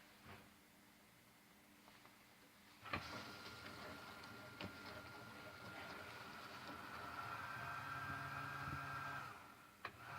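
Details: Two-year-old GE dishwasher: clunk then steady high motor hum with sharp ticks and low drone; owner suspects water pump problem, cause unconfirmed.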